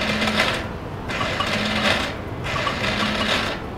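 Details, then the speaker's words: Scooter that starts normally on the kickstarter but not on the electric starter: three short buzzing rattles about a second apart, one per button press, engine never spins over; worn starter motor. "Si seul le démarreur est défectueux, vous entendrez soit des bruits comme celui-ci lors du démarrage avec le démarreur électrique :"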